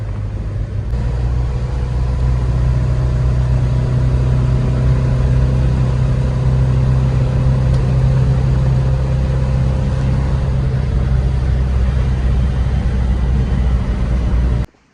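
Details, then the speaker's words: Volvo driven home after fixing the rough running, which the owner blames on mixing two kinds of spark plugs: smooth even low rumble at steady driving, no misfire stumble or shake; runs like when bought. "she runs way better now she runs pretty much just like how I bought her"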